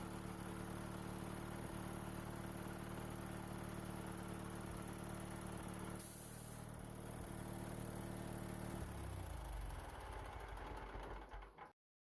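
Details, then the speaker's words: Bolens hydrostatic tractor after belt replacement with belts tensioned: small engine holds a steady, even drone for several seconds, then winds down evenly at shutdown; sounds normal. "it's going to fire it up and I always sang with the belts on everything seemed to be okay this sounds normal so let's go ahead and put everything back together"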